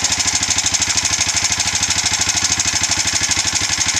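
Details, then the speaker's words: Foreman 400 single-cylinder ATV after rebuild with new piston rings, timing chain, tensioner and gasket set, first start in months by pull start: even steady idle about three pulses a second, previous tick gone; healthy. "It's quiet. Listen to that, son! It's lost its tick."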